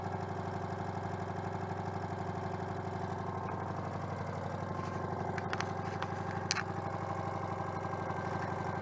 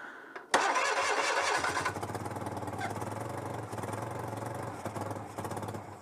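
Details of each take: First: Citroën 2CV AZLP6 flat-twin with new centrifugal clutch, open exhaust: chuffing about four beats per second, uneven lumpy rhythm; owner attributes rough idle to disconnected crankcase breather. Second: Citroën 2CV AZLP6 flat-twin with newly fitted centrifugal clutch: starter whirrs briefly, engine catches and settles into fast uneven popping idle with open exhaust; normal start, runs fine.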